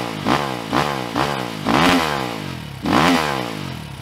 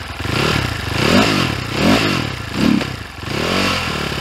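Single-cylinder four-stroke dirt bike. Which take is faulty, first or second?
second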